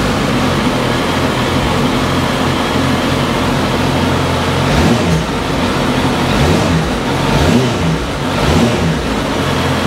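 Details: 2010 Suzuki GSX650F motorcycle, 20,914 miles: startup and steady even idle with a few quick throttle blips that rise and settle cleanly, no knocks or rattles; healthy startup and idle.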